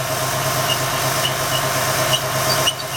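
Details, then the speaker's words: 2004 Ford F150 4.2 V6 idling in a cold garage (60F) with fan removed: faint irregular high chirps about twice a second from the belt drive; squeak suspected from a replacement water pump with about 4,000 miles. "I think I kind of hear a sweet rear that sleep yep there's a squeak oh my goodness there's definitely a sweet starting oh there it goes"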